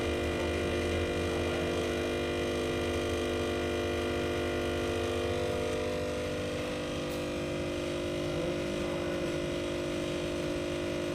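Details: Voltage stabilizer: a loud, steady mains-pitched hum with a buzzy edge that never changes pitch; transformer humming.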